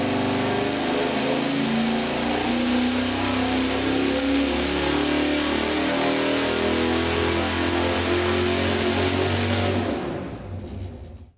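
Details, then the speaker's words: Dyno engine at high rpm after fitting a hotter external ignition coil, which made no difference; note stays ragged and uneven at the top, a high-rpm misfire; the distributor is suspected as the cause, not confirmed. "I don't have much faith that it's going to improve our high RPM misfire. I think that's occurring [music] here in the distributor."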